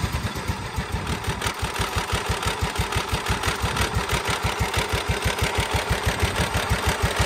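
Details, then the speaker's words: Cub Cadet HDS 2135 riding mower, single-cylinder, after carburetor rebuild and cleaning (previously hard to start, needed spray): steady but lazy thump about three beats a second, runs fine but idle a bit slow, may need turning up a hair. "The idle is a little bit on the slow side, so I might have to turn that up just a hair."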